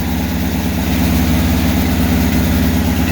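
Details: VW 1600 single-port flat-four, EMPI GTV tribute, idling on its warm-up cycle with distributor timing not yet set: a steady, even low thrum with a regular firing beat and no knocks or rattles; healthy idle.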